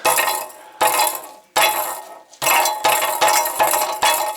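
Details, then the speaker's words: Alfa Romeo GT 2.0 JTS, engine off, exhaust pipe shaken: sharp glassy clinks in short bursts like something loose inside; owner suspects debris in the upper exhaust manifold section, rear part checked empty, not confirmed. "Короче, есть подозрение, что в трубе что-то лежит, болтается. Я открутил заднюю часть, там ни хрена. Но по звуку, как будто бы в верхних банках, вот именно вот в этой части."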